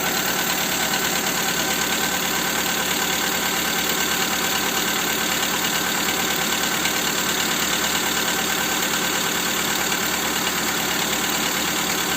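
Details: Skoda Fabia 2 with the 1.4 engine after replacing the camshaft cover: steady idle with a fast, even ticking knock, about three per second, over a hissy background; the source is unclear.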